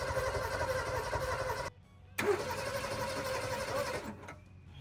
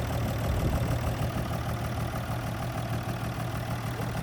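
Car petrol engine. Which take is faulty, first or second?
first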